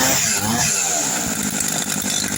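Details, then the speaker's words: 160 brush cutter after repair: clutch parts that were installed backwards, causing a strange noise, refitted in the correct direction; crisp two-stroke buzz revving up and settling evenly, no rattle or scraping; running normally. "tava em virada as pecinhas tava virada ao contrário coloquei certinho aqui agora Zerou Zerou"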